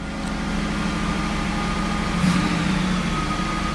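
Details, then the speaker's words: 1979 Hurst Olds V8 just after cold start, fast idle on before kicking down: smooth, even raised idle with no knocks or misses; normal cold fast idle. "fast idle is on I'll give it a minute before I uh try to kick it down and put it in gear"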